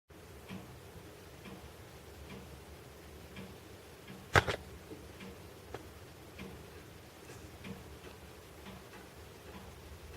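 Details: Heating pipes after a major building overhaul in Yasenevo give faint sharp ticks and taps about once a second in a quiet room, with one louder bang; cause of the pipe knocking suspected, not confirmed.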